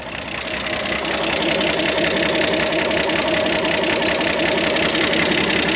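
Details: 1973 Jeep CJ5, sat 16 years, running on electric fuel pump: steady even idle with light tappety clatter, no misses or knocks; gauge up to 40, no charging system, healthy little engine.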